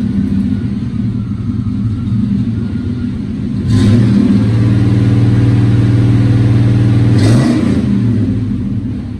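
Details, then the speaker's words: 1954 Studebaker Champion gasser, new true dual exhaust with 3.5-inch stainless tips: deep, even idle rumble swelling with a brief rev, no rasp or rattle; good deep rumble, not obnoxious, normal exhaust note. "Good deep rumble, just like we wanted. Nothing crazy obnoxious."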